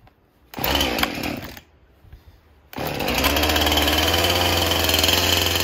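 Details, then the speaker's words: Husqvarna 346 XP chainsaw after cleaning up a scored cylinder and fitting a new piston and ring: short rev bursts, then a strong steady high scream while cutting without bogging; idle a bit high, adjustable; rebuilt engine pulls well. "this thing is awesome let me start it up show you cutting here"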